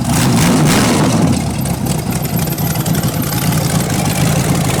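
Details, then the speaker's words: Rebuilt 408 small-block Chevy on a run stand, open headers, old used plugs: revs then settles to a lumpy, uneven idle with a stumbling beat, number one cylinder not firing right, suspected bad plug. "So number one cylinder's not firing right, but not bad. And them headers like that don't sound that great."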